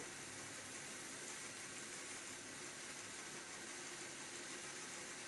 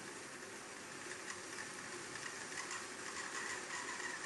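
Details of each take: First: Hornby Class 31 model diesel locomotive on a rolling road at higher speed, after removing the fan assembly: a smooth, even high whir with no squeal. The high-pitched squeal is gone and it runs cleanly. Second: Hornby Class 31 Super Detail model diesel locomotive on a DC rolling road after storage: a quick light rattle and thin high squeal at speed, with hesitancy. The owner suspects the roof fan mechanism, which is later removed.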